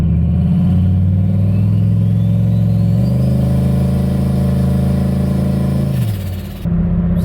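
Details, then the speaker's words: Turbo LQ4 V8-swapped Ford Ranger with On3 2-bar MAP sensor, power enrichment mode disabled so only boost enrichment is used: steady V8 drone rising with revs, dipping briefly, then picking back up; pulls cleanly under load without stumbling. "So that run seemed like it worked a little bit better. What I did was I effectively disabled the power enrichment mode basically, and so now it's just using the boost enrichment."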